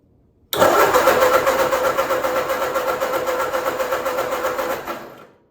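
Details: 1946 Ford 2N tractor, rebuilt with new piston rings but not all parts, first crank after reassembly: starter spins evenly about five seconds at roughly four compression pulses a second, never catching; no spark, coil's wire terminal broken.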